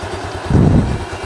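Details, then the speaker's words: Motorcycle just started, no oil added yet, runs with deep rough growl/snoring noise after starter repair; mechanic says engine should come down and crank and other bearings be checked and replaced. "tapi dengar suaranya suaranya agak ngorok ya kayak gitu"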